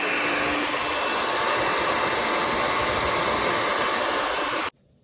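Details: Asus Zephyrus G14 laptop with a loud, steady, high airy fan rush like a hair dryer that then cuts off, no distinct rattle heard; fan cleaning tried, owner suspects the common CPU fan bearing problem, not confirmed.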